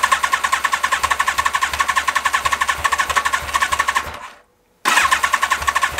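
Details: Carbureted motorcycle idling on restart after carburetor refit; cylinder 1 had a richness problem, probably partly clogged idle screws; quick even tinny rattle about six beats a second, cutting out briefly then returning: metallic idle clatter of unknown source.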